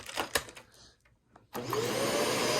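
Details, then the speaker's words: Shark vacuum cleaner motor with creaking, broken body: after handling clatter the motor spins up with a rising whine, then settles into a smooth, even hum; motor very healthy. "sounds really nice. If I can get that top part out, it's not going to come out. So yeah, this motor is very nice and will definitely have a home because the motor in this thing is extremely useful."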